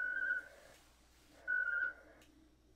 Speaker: Do you hear that? Yeah, that whistling sound? That means the RMS heard me. And now we're establishing a handshake.